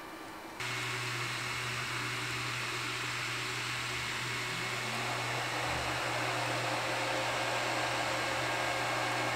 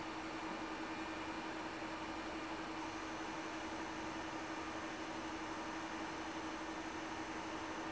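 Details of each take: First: Stock Ender 3 V2 3D printer while printing, with the power-supply fan cutting in and the level rising to about 59 dB; steady airy rush with a louder whoosh and low hum; loud cooling fans. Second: Ender 3 Pro 3D printer after the Noctua fan upgrade, about 50 dB or roughly 10 dB quieter than stock, with the power supply now audible; low steady hiss, faint hum near 300 Hz and a thin whine; normal fan operation.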